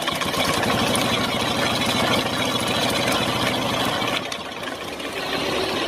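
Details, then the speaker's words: Honda Supra X 125 idling with the clutch cover removed; the clutch hub visibly wobbles very badly. Rough metallic grinding rolls along with the idle beat and dips near the end. "Nah jadi seperti itu putarannya pada tunggu koplingnya ya teman-teman tuh kalau menurut saya sangat banding sekali sangat parah sekali dan bunyinya pun lebih Ketahuan ya teman-teman pas dibuka bak koplingnya tadi"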